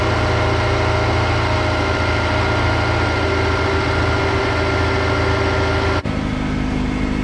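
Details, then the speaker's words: Honda S2000 at cold start-up just after the timing chain tensioner was replaced with a Ballade unit to fix the common start-up rattle. Fast, even cold idle, steady tone, no rattle. Normal cold idle. "sounds really good you're also going to want to check for leaks"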